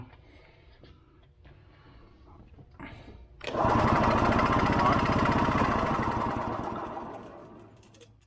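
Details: Early-1980s Yamaha G1 two-stroke barn find: starter spins steadily about four turns a second for four seconds, no firing; cranks but won't start, suspected blocked fuel line or leaking pulse hose to crankcase-driven fuel pump.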